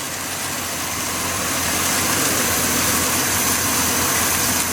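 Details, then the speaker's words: Budget turbo 250, just brought back to running with oil feed line checked, warming up: steady idle under a lot of airy hiss, no knocking, clunks or stumbles; normal idle. "I'm just going to let her warm up a little bit and see how it acts. I'm pretty excited. It's running again. Ain't nothing broken."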